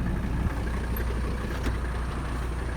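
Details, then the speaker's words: 1985 Mercedes 300D diesel, daily driven about 300 miles a week, AC on: steady, deep idle with an even low rumble and no misses or rattles; engine running healthy. "Yeah, it's running. I'm sure you can hear. AC's on."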